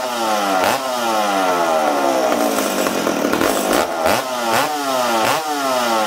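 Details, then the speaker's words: McCulloch Super Pro 70 chainsaw reassembled after fuel tank repair, 45:1 mix, low-speed jet 1¼–1½ turns out, tuned for -20° and run indoors: revs in bursts then sags and burbles, slow to clean out; mixture too rich. "ah now friends you see how this thing's fighting me uh this saw was tuned the saw was tuned for -20 okay so this this load yet was at one and a quarter turns one and a half turns out okay uh this thing's too rich for being inside right now"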